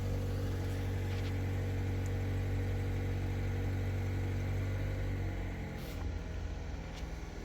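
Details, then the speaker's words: 2013 Mazda 3, 2.0L Skyactiv, automatic, after replacing faulty MAF sensor (codes P0171 lean, P0101) and clearing codes; cold start, smooth fast idle easing evenly down to lower idle, no misses. "So, it's coming down off of high idle. We can watch the grams per second."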